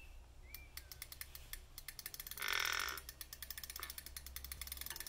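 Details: OZO 1000 W e-bike hub motor: rapid dry ticking and creaking clicks that quicken as the wheel turns. Cause suspected, not confirmed.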